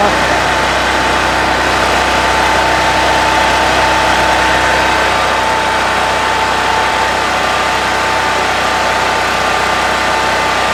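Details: Brand-new Harbor Freight Predator 4375 W (3500 W continuous) generator, first start after choking, in garage: smooth even drone at constant speed, no misses, knocks or hunting, running healthy.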